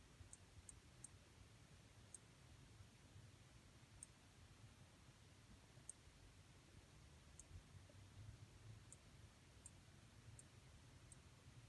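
Faint, high, crisp ticks about once a second, unevenly spaced, over a low room hum; the monitor is ticking, cause unknown.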